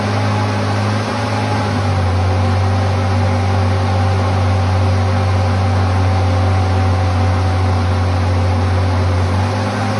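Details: 1978 Ford Pinto cruising wagon, long-sitting, running on fuel poured in at the top: constant fast idle with unchanging drone and no dips despite throttle plates fully closed, indicating a massive vacuum leak; PCV valve plugs into what looks like a heater hose.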